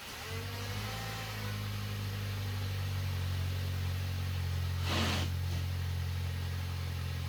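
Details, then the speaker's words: VW Passat, previously knocking and running poorly, after replacing a cracked intake manifold that was leaking: smooth, steady low hum settling evenly after startup, no rattles or knocking, no faults; normal idle. "Finally, it works the way it should. No rattles on startup, no knocking, no faults."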